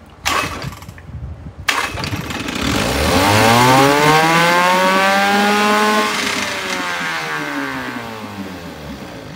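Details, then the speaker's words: 1972 Johnson 6R-72D 6 hp two-stroke outboard, said to need an impeller, barely pumping water, tried in gear: buzzes up, hangs high, sags slowly without settling; rough idle, won't idle down, owner suspects a dirty carburetor. "let's see if it goes into gear see if I can get it to idle down"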